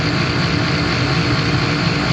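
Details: Furnace induction fan running loud during a home inspection: a steady whooshing roar with a low hum underneath and no change in pitch, noisier than it should be.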